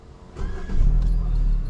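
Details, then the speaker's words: 2013/2014 Hyundai Elantra after engine light, OBD reset; suspected misfire from overfilled oil reaching the plugs: engine restarts and settles into a steady, even idle with no stumble or skipped beats, running normally now. "okay everything normal yes no more now"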